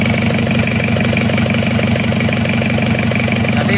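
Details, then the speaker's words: Isuzu Panther diesel after cracked cylinder liner replaced with a used liner, test-run on the stand before refitting: steady even clatter at settled idle, no puffing (ngobos) or uneven beat; compression healthy, normal idle. "kita pakai budget yang minimum mesinnya sudah hidup sudah aman gak ngobos lagi"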